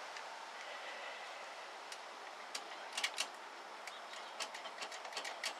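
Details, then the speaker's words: 1964 Ford Thunderbird showing about 30,000 miles on the odometer, possibly original; irregular sharp clicks of roughly two a second over a steady hiss come from the horn relay chattering under the hood. "I can hear the horn relay clicking under the hood so we'll have to take a look at that see what's going on"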